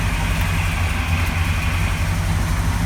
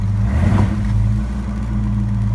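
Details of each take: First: 1970 Ford LTD carbureted V8 after throttle dashpot replacement, pulled over after a drive: idles steadily but a little fast because idle speed was adjusted slightly high; idle speed slightly high. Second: 1970 Ford LTD after anti-stall throttle dashpot replacement, in drive against the brake: steady low idle, picks up when goosed and settles back without stumbling, not close to stalling; runs normally.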